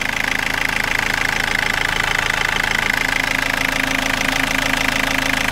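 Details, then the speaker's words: Warm idle of a 2004 Toyota Corolla 2.0 D4-D diesel: even, steady clatter of about 200 knocks a minute over a smooth hum, much quieter than cold; injectors don't seem noisy; other noises are audible at low rpm and disappear above about 1500 rpm, cause unknown. "le moteur au ralenti à chaud fait beaucoup moins de bruit les injecteurs ne semblent pas faire de bruit"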